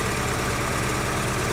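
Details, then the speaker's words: 2004 Daewoo Lanos, misfiring at idle, coil resistance 47 (OK), codes for O2 sensor circuit, ignition circuit and low intake air temperature: rough shaky idle unchanged when cylinder 4's lead is pulled, so cylinder 4 isn't firing. "І нічого в нас не міняється. Автомобіль проїч. Цей циліндр четвертий не працює."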